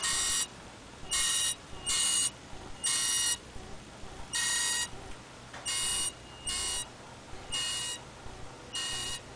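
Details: 2005 BMW 545i with the engine switched off for a few hours: the engine bay gives short, harsh grinding buzzes in uneven bursts, about one per second, cause unknown.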